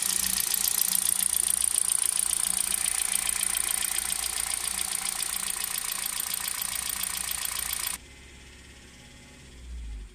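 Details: Hyundai Solaris 1.6: fast, even ticking over the idle at about three to four per second, stopping at shutdown. It knocks both cold and hot and sounds like a diesel when driving. Engine knock.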